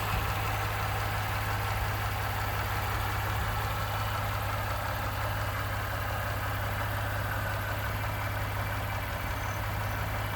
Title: 2nd Gen 3.5 EcoBoost V6 Engine Knocking, Rattling - 29K Mile 2018 F-150